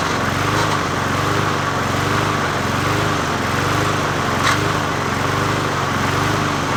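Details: 20-inch Murray push mower #20201D single-cylinder engine after straightening a wobbling crankshaft and cleaning: holds steady throttle with an even, chugging beat, no stumbles or stray knocks; normal running.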